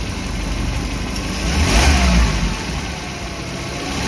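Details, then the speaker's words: Suzuki New Carry after overheating repair and timing chain install, warm: idle then clean rise and fall on throttle, no knock or misfire; revs freely and responsive. "Jika mesin responsif, hanya putaran mesin rendah (LPM) yang tidak baik."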